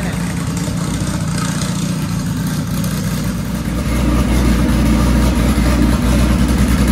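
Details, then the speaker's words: Dodge Caliber SRT4 four-cylinder just after Precision 6266 turbo install with coated manifold and new gasket, idling a few minutes to warm up and set the coating: steady idle firming slightly, no hiss, ticking or misfire; no apparent exhaust leaks, new tune needed. "well guys i'm going to call that a success uh the car cranks runs fine idle's fine of course we have to do a a new tune for the turbo"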